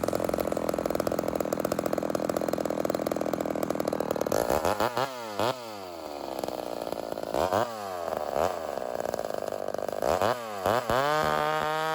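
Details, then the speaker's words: Rebuilt Homelite Super XL 130 chainsaw during tuning: steady idle with no hunting, then sharp revs after a cut dropping cleanly back to a stable idle. Tilting the saw shows no air leak. "So you're going to notice that after a cut here, I just let it go right back to idle. And I'm basically making sure that it returns to idle and does so like it should and doesn't fluctuate."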